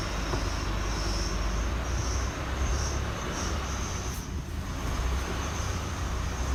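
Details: 2016 Chevy Colorado, 7k miles, creeping about 5 mph, brakes on or off: faint high squeaks chirping repeatedly over low rumble, gone when stopped or above 10 mph; traced to where the driveline enters the transfer case, service scheduled.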